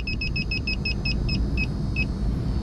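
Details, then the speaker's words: York packaged rooftop unit with one of two circuits down: leak detector beeps rapidly over the unit's low rumble, finding refrigerant leaking at the rusted, torn-up condenser coil; leak faintly audible. "you see how it's leaking right there and I can hear that thing man can hear it it's slightly"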